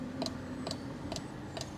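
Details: 1997 Mercedes S500 coupe cabin: sharp, even clicks about twice a second over quiet hum, the side mirror motor cycling without stopping.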